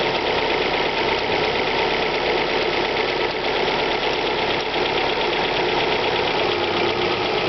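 A loud, even cold idle with a fast light ticking running through it at a steady rate; a ticking top end on cold start.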